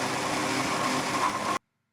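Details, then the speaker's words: Milling machine cutting a slot full-width with a cutter the size of the slot, sped-up footage: harsh, steady grinding roar with a ringing tone on top through the cut; the cutter is chattering and vibrating heavily. "So now that's his speeded up footage. And you can hear it vibrating like a [ __ ]"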